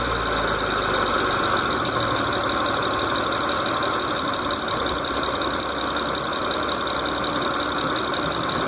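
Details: 2006 Mitsubishi Eclipse GT at idle: steady light, fast, slightly irregular ticking over the engine note; source undetermined.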